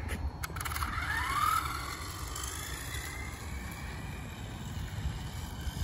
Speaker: sounding a lot better A whole lot better actually